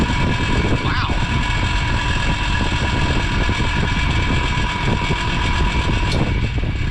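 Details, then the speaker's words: Lasko 5210 fan after cleaning, running: steady loud rushing roar with faint rattly undertone, no speed change; noise blamed on a loose motor armature. "All that noise is the loose armature."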